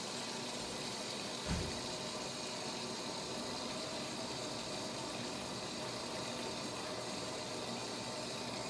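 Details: Whirlpool Duet washer with F21 error, after reassembling, test wash: steady even hiss of water rushing into the drum, no pump hum or clicking behind it; normal water fill.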